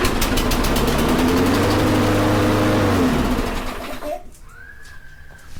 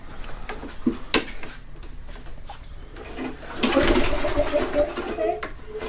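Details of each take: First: Toro Recycler self-propelled mower after fixing the no-self-propel fault (the drive belt had fallen off) and re-tightening the loose spacer between the blade adapter and crank: an even, smooth drone with no knock or rattle, then a clean wind-down. Normal running. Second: Toro Recycler walk-behind mower engine running with irregular hard knocking, about four a second, from the blade adapter hitting on a loose spacer between the blade adapter and the crankshaft.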